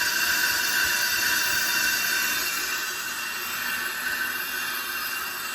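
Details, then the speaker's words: Pro-Cut on-car brake lathe resurfacing a rotor, cutting bits set halfway onto the rotor surface, automatic feed moving the cutting head slowly back: steady high hiss and whir with a faint even pulse, about 220 a minute; normal smooth cut. "All right, when it's done, I'm going to turn it on again, and then we'll look at the final results."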